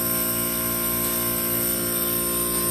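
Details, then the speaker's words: Old Scotsman ice machine in freeze cycle, slow to make ice after electrical repairs: steady high-pitched whistle over hum as high-pressure superheated gas leaks into low side through hot gas solenoid valve not closing. "also you can hear that like whistling noise that's the sound of really high pressure superheated gas getting back into the low side and that's happening because of this solenoid valve"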